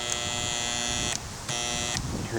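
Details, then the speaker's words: Black & Decker jigsaw, possibly single-speed: the motor is seized, giving two short steady electric buzzes as it struggles to turn; WD-40 then tried to free it. "hear it buzzing anyway. It's really froze up though."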